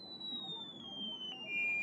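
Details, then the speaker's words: KRK Rokit 6 studio monitor on a falling sine sweep: the tone turns rough and gritty instead of pure, distorting heavily below about 4 kHz; the tweeter path is faulty. "check it out as we go higher in frequency we're we're good decent sinusoidal now but after below about four kilohertz starts to distort a lot"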